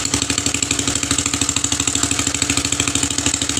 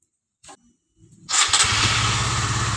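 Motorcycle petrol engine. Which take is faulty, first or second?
first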